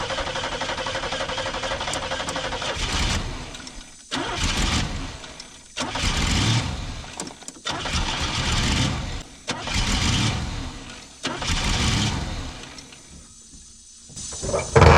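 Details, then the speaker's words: 1990 Pontiac Firebird, third gen, long-sitting, fuel pump circulating: several long bursts of steady starter cranking, each cut off after a few seconds, never catches; cranks but won't start, injectors suspected not working. "Sounds like our injectors ain't working right."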